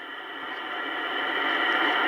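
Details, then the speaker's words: Kenwood TS-820S with no antenna, after cleaning its Molex plugs, tuned from 2.318 down to 1.788 MHz: even static hiss builds slightly louder with no crackle or dropouts, showing band activity that was absent before. Normal receiver band noise. "I say tis no intent on it but I'm getting activity that's a good sign down to one point seven eight eight"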